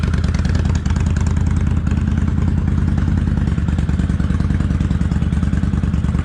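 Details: Kawasaki Vulcan 800 Classic V-twin on light choke, cold warm-up on a chilly day of about 51°F, after an accelerator pump fix and oil change. Even, steady lope at about three beats a second with no misses or stumbles; a normal cold idle.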